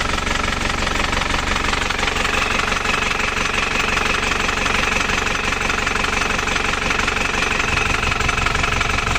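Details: Isuzu Panther LS diesel as it arrived at the shop. It has a lumpy, uneven idle clatter of about 200 beats a minute that limps and stumbles. The mechanic suspects a severe compression leak, though uneven injector nozzles can also cause limping.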